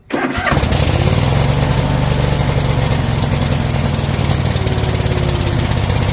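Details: Troy-Bilt Mustang XP zero-turn mower started on choke, being checked for throttle stuck on high: short crank, catches at once, settles into steady even run without hunting or misses; normal start and idle.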